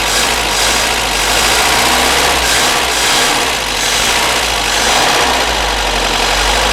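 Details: Barn-find Volvo Amazon engine after piston ring replacement, started without choke: fires into a loud, even, steady run with no misses or knocks; healthy, though the water pump drips slightly.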